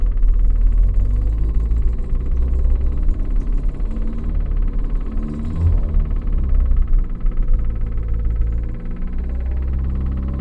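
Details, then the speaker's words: Rare 1980s Renault 9 saloon, off the road since 1994, about 94,000 on the odometer, started on choke: a rapid woodpecker-like tick over a rough, choked idle, with a noisy fuel pump and an exhaust blow, possibly at the manifold; cause unconfirmed. "it sounds like a woodpecker in the air box so if you burn up the revs it drowns out the sound of the exhaust blowing"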